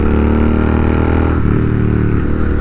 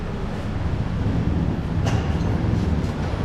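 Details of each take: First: Royal Enfield GT650 twin after a service that cleared a major problem: steady, even twin-cylinder drone under light throttle, no knocks or rattles over the exhaust note. Normal healthy running. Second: Royal Enfield GT650 twin idling at service centre before tappet adjustment, cloth stuffed in loud exhaust to hear engine: light ticking knock from loose, unadjusted valve tappets.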